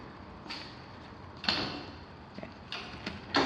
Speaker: Okay, you may notice that this door is all the way open because I also did the emergency release and the door slammed shut, meaning that this spring is not properly adjusted.